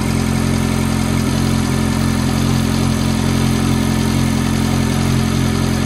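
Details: F430 V8 at cold-start idle: a fast, even, light tick of about four per second is laid over the steady burble; the source of the tick is undetermined.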